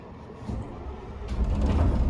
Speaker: You can hear the bus started up just fine. And there's a switch here that says fast idle, and that just kicks the idle RPM up.